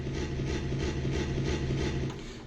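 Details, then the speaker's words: Second-hand Yamaha SY22 synthesizer, heard at the headphone and both left and right outputs: steady low hum with a harsh, foghorn-like crashing pulse about twice a second. The noise worsens when notes are played and fades as the volume slider is lowered. "Um it's on the headphone output and the and both left and right outputs. Uh and it's sensitive to the volume slider. So you can actually decrease the volume and it will go away."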